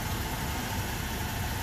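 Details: Old hot rod V8 shop truck with an intermittent #8-cylinder misfire from a fuel-fouled plug, owner suspects a sticking injector: here a steady, even idle with no stumble or skip, running well at this moment.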